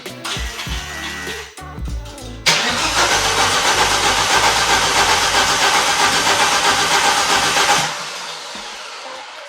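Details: Volvo S60 T5 donor engine on a cut-off front half, wiring loom removed and refitted, battery recharged, check engine light now cleared, no exhaust fitted: loud even cranking at about four turns a second for several seconds without firing, then dies away; cranks but won't start.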